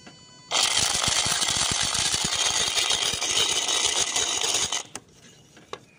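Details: Skoda Laura auxiliary electric water pump: a harsh, fast, hissy rattle running steadily about four seconds, then cutting off; a worn auxiliary water pump rattling, silenced after fitting a genuine new pump.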